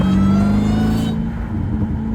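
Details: 707 hp Jeep Trackhawk supercharged V8, track mode 50-50, pulling hard in traffic: steady high supercharger whine over engine; driver jokes it whines too much, but it's normal, nothing broken.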